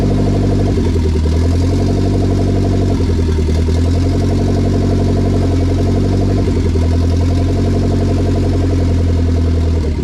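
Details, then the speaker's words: K20 turbo RHD Honda Civic wagon after its first start, on a startup base map with no radiator fitted: steady, deep, smooth idle with a few clean throttle blips that rise and settle without stumbling; normal idle and free revving. "now every time I turn it on it idle on its own and it revs through perfectly"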